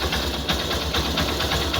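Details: Honda Shine 125 BS4 single after engine work for compression problem, just started: even, steady putter at idle with regular beat and no knocks or rattles; idling cleanly, compression holding.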